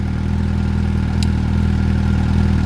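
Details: Suzuki motorcycle after winter storage, old fuel in tank, warming up at idle: steady low, even putter with no knocks or misses; running normally.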